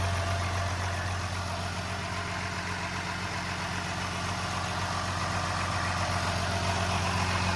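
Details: First start of a transplanted DT360 diesel with AT545 transmission, in neutral, after priming the fuel and bleeding an injector line: smooth, regular diesel idle with a deep steady rumble, no knock or stumble; normal idle, though loose battery-tray bolts vibrated.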